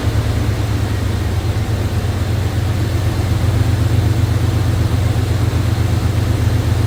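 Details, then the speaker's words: 1989 Chevrolet Silverado idling after fitting a heavy-duty fan clutch and 11-blade fan, about 3/4 inch shroud clearance: steady low rumble, even pulse about four beats a second, no rubbing or banging, fan blowing correct direction; normal idle. "Appears to be spinning. It's blowing air this way, which is the correct direction, so that's good. It's not hitting anything."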